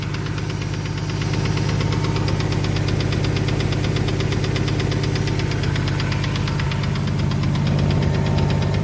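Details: Ford Falcon FG bottom end with BA top end, idling; knocks once or twice at start-up, then sharp regular ticking near three per second dominates, loudest at the rear of the sump; cause undetermined.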